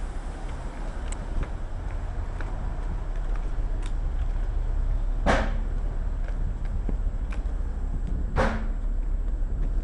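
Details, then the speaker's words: Vibration and compressor recording, 16 May 2016, 11:17: a steady low rumble broken by two sharp, loud bangs about three seconds apart. These detonations come from a nearby workshop every 3–4 minutes; cause unknown. "Those two were the detonations that we hear every 3 or 4 minutes. That is from the workshop."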